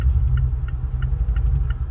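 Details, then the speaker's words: Mazda 6 with the 2.5L non-turbo engine, started at the roadside in cold rain after going into limp mode with the check engine light on. The scanner shows a cylinder 2 misfire, and the owner suspects a coil pack. The heavy, uneven idle lurches and dips, and the car is smoking. "it got a serious misfire what the hell didn't happen my car smoking"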